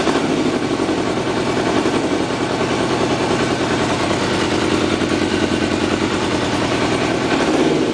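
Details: Motorcycle on its first start after carb cleaning and new spark plugs, once the carbs filled with fuel (run a few hours earlier): a steady, fairly even four-stroke beat at a fast idle with no misses or knocks.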